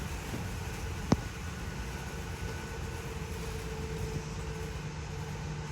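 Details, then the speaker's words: 2022 Mesa Ridge S-Lite 262RL slide-out extending on 110 V shore power: low even motor drone with one sharp click, the click indicating the slide is fully extended; normal operation. "There's that clicking noise though. So that's the sound you want to hear or listen for, and that'll be your indicator that it's fully exte"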